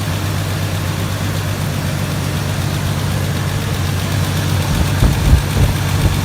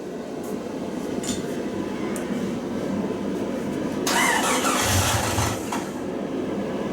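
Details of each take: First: 1999 Jeep Cherokee after an engine swap, first fire with an oily cylinder: smoky but smooth, steady low idle rumble with an even beat, no misses or stumbles; normal idle, cylinder later found wet. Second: 1999 Jeep Cherokee after engine swap, first start attempt with fuel relay and coil plugged in: steady starter churning about four beats a second for several seconds, never catches; cranks but won't fire.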